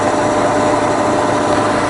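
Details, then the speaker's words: Bridgeport milling machine with 42-inch table, twin-speed motor, first speed in high range: smooth, even motor hum at constant speed with no knocking, grinding or whine; spindle drive runs healthy. "okay so far enough so that's the first speed in the high gear well that we're in now"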